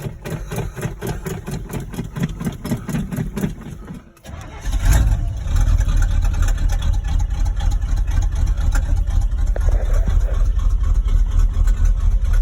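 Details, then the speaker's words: 1986 Chevy K10 V8, cold start in icy weather after repeated pedal pumping: brief cranking, then catches and settles into an even, raised fast idle with a steady low rumble, higher than its usual starting idle, no misses. "there we go so that's that's higher than it normally rides normally it'll be in between this first and second notch it'll be riding in between that normally so that's more that's higher than it normally rides when it first starts"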